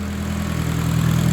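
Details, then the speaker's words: Engine still cold after gearbox oil change (8.5 L added instead of 5.5 L), earlier weird noise when shifted: back in park, steady low even idle hum with no knocks or whine; seems fine now. "It's in park now. So you put it in park again. Yeah. Seems to be fine now."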